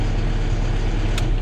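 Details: FAW diesel truck with hard starting and poor power: deep idle with an uneven, shaky throb; water was found in the fuel filter, and the engine runs rough from water in the fuel.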